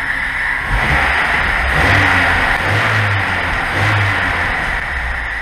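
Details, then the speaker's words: VAZ 2106 carburetor engine after repair: low note swells as revs climb to about 900 rpm, then holds a freer, steadier idle; normal idle. "работает кофе маловато но отведи да таким так и должно быть"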